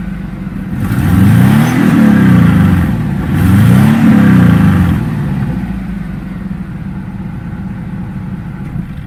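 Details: 1997 Subaru Outback with UEL headers and the stock exhaust downstream, revved twice: typical uneven boxer burble rising and falling, with no hiss or puffing from an exhaust leak; normal exhaust sound, no leak.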